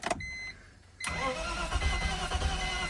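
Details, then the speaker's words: Manual BMW 325ci with about 330,000 miles and a reportedly blown engine: brief cranking with an uneven, lumpy gallop and no catch, and the fuel pump is heard. Low compression is suspected, not confirmed. "She definitely has a gallop in her. A little bit of no compression sign uh sounds."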